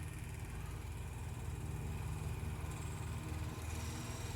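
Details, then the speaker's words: Refurbished 1930 Elcon antique desk fan: steady low motor hum rising in pitch as it speeds up when wound out, easing spring tension on the contact, with sparking inside; motor speeding up normally. "we go, you hear it cranking up. Only so much though. Oh yeah, that's really getting moving."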